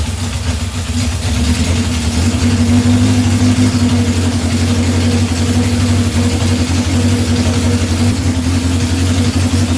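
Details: 1978 Honda CB750 K8 first run during a rebuild, with booster on the battery and temporary fuel supply: steady, even four-cylinder idle with a smooth low burble and no misfire or stumble. Normal idle.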